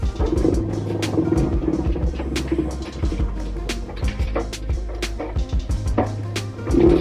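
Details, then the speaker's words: LG WM2301HR front-loading washer on spin: motor hums with irregular sharp clacks and grinding while the drum does not turn; the rotor splines are stripped and the rotor assembly needs replacing. "So you hear that motor spinning, but the drum ain't spinning."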